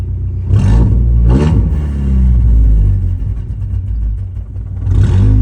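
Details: 2015 Ford Mustang EcoBoost with a deep, lumpy exhaust rumble stumbling unevenly as revs rise and fall; engine misfire.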